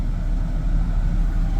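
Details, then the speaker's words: 2003 Mazda MPV, old with high mileage, at idle: low uneven rumble pulsing irregularly; scan tool shows long-term fuel trims of 12.5 on bank 1 and 10.2 on bank 2, running lean, throttle body issue suspected. "here is a Mazda uh 2003 MPV uh it's running pretty bad it's idling bad as you can see right"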